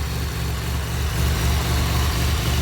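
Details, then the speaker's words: 2007 Pontiac Grand Prix GT after a crank-no-start: missing #15 PCM fuse (rated 10 A) filled with a 15 A fuse, and it just about fired right up. Smooth, even low idle, steady rumble, no misses, knocks or ticks; running cleanly. "So let's go try this again. Just about fired right up."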